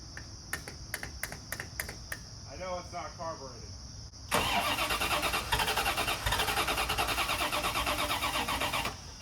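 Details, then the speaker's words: 1988 Corvette first start after reinstalling smog parts, fuel lines and new battery; a few ticks, short crank, then catches and settles into fast, fairly steady running, with smoke from exhaust noted. "but she runs now we got to find out if she drives"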